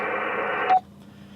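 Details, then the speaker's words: HF radio channel 2 test call to Perth base station: dial-out, then clean steady revertive tone cutting off to hiss; the return signal from base is strong, so the link is good. "so that that there is the revertive it's called a revertive it's the return signal from the base station back to my radio"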